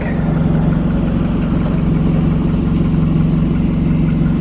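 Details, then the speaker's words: Four-cylinder Ford Escape with 126,000 miles, just jump-started and low on fuel: even idle around three pulses per second with a faint puffing tick in the exhaust note; owner suspects an exhaust leak, unconfirmed. "like it's not terrible but i definitely hear it"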